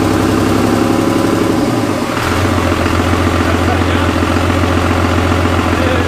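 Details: Cummins diesel in a Jeep YJ, first start-up: slightly rough for a couple of seconds, then a steady, even diesel idle with a low, firm beat; normal idle.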